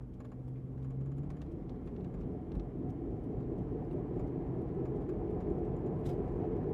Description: Listen to Bad Wheel Bearing while driving. They make vibrations that increase with wheel speed. Often described as grinding, vibrating, growling, howling, whining, metallic type noise.